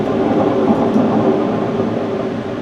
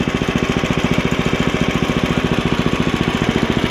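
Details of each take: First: Ariens ST724 snowblower with the blower housing separated and the impeller turned by hand: a steady gritty rumble from a rough, worn impeller bearing, which was then replaced. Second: Ariens ST724 snowblower started after sitting long, after impeller bearing replacement and repaint, augers engaged; even rapid put-put firing with no misses or knocks, running smoothly.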